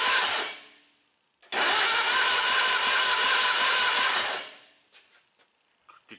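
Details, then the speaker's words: D12 tractor after rebuilt engine, plugs and wires refitted, long sitting: strong, even cranking for about three seconds with a steady compression beat; turns over very well, compression sounds really good. "over incredibly good and it sounds like it's got really really good compression"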